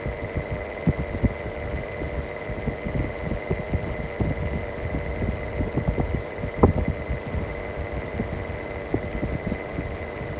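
Steady motor hum with a thin high whine and an uneven low throbbing running through it: typical of a worn fan motor bearing.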